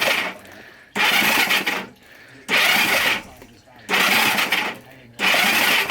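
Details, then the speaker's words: 1970 Honda CB450 whose cylinders and oil filled with gasoline from a petcock left on reserve, WD sprayed in: cranking with no combustion gives sharp hissing spurts about every 1.5 seconds as fuel is expelled, mostly from the left cylinder. Flooded cylinder. "No combustion. Turning it off. Whoa! Shit! There's a lot in the cylinders apparently, and there's more coming."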